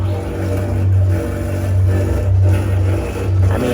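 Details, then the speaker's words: Prize arcade game running with its guard removed during cleaning: steady low growl and hum under an uneven rumble; owner suspects vibrations, source not found. "I feel like it's just probably vibrations it's just making noise like that"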